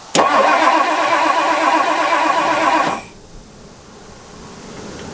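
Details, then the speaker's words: 1958 Edsel that randomly stops running, being cranked after fuel-line adapting: steady starter churn of about three turns a second for three seconds with no firing; cranks, no start, no fuel coming out. "okay we'll crank it first with nothing to make sure nothing's wrong go we go yeah"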